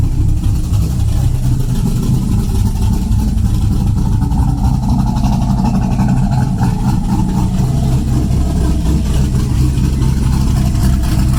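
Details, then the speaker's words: After repairing a damaged electronic exhaust cutout with a new butterfly valve and flapper, cutout closed: loud, steady, deep idle rumble with no knocks or rattles, no longer leaking like before; normal idle. "all right close it oh yeah sounds good yeah I can hear it when it was leaking"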